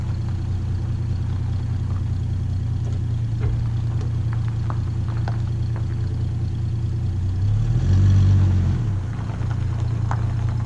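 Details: Valiant slant six warming up after seven months sitting: steady low idle with slight lope and one throttle blip; owner plans valve adjustment as unevenness straightens out at fast idle.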